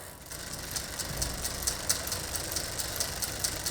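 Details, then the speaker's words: Bicycle rear derailleur being adjusted, H-limit screw tightened half a turn: quick, even ticking rasp while pedaling, excessive noise as the chain rubs the next inner cog because the high limit screw is too tight; harmless to the drivetrain. "on entend un bruit excessif et nous allons vérifier que cela vient de la la chaîne qui frotte contre le prochain pignon intérieur. Si c'est le cas, la vis de butée est trop serrée, c'est ce que nous voulons pour le moment."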